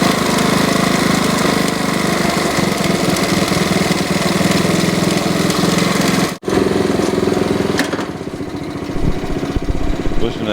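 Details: 1969 Honda CT70 bought as a non-runner, after long storage, choke opened: small single-cylinder engine putters at a quick, even beat, dipping briefly once before settling back; healthy, steady idle.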